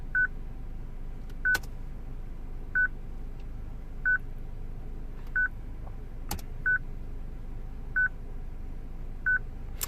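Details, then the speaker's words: 2006 Citroen C3 petrol with a used replacement radio: short high beeps repeat evenly about every 1.3 seconds in a quiet cabin while the radio works fine. It is a security lockout because the radio is coded to another car's VIN. "Okay, I'm sure you can hear it, this constant beep. The radio works. Okay, the radio works fine, but obviously it does that."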